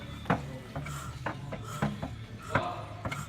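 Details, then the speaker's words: Renault Espace 2.2 diesel that ran rough then stalled and won't start, timing marks correct, valve cover off: turning the engine by hand gives dull irregular metallic clunks about every second; cracked crankshaft. "при прокрутке рукой даже слышен такой стук металлический. Ну, предположительно, что в моторе или поршень оторвался, либо какие-то проблемы."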